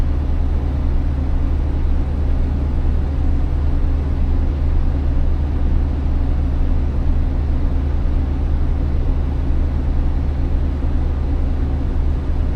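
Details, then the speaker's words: Class B diesel school bus at its air brake check, held at about 1,000–1,100 RPM to build air pressure toward governor cut-out: steady deep drone, smooth and even with no knocks; normal raised idle. "I'm going to give it a little bit of gas to help build the pressure up a little bit faster. I'm going to try to stay around 1,000 to 1,100 RPMs."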